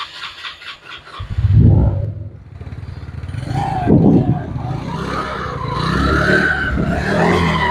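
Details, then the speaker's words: Yamaha Mio Sporty scooter after fixing a rough-sounding CVT: engine blips up and settles smoothly, belt drive whirring evenly with no knocking or rattle, rotation smooth; normal CVT running. "The rotation is very smooth and the speed is also good. Whether it's the sound of Glodok or glaring, the color will be smooth."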